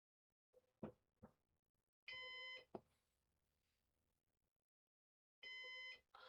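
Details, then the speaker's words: Used Synology DS418 NAS during first setup, DSM install stage: bursts of shrill piercing beeps repeating every few seconds in a quiet room, a "heart monitor" alarm. "I don't still don't understand the heart monitor sound that this thing is making, but uh we'll figure that out."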